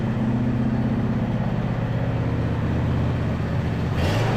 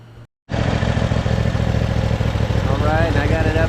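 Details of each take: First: Neglected John Deere E180 riding mower running a bit better after repairs but still spitting and sputtering irregularly after catching and revving; gas age unknown, plugs and carb not yet checked, owner suspects old fuel: engine sputtering. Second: 2018 John Deere E180 riding mower, neglected, running outside after repairs while checked for leaks: small twin idling with an even steady thump, no ticks or knocks; smooth, healthy idle.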